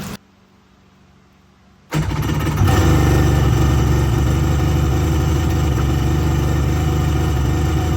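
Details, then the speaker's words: 2001 Kawasaki 1100 STX DI jet ski after ECU repair, on cooling water: fires after some smoke and settles into a smooth, even, steady run with no misses; running well. "All right, guys. So, as you can see, it's running real good."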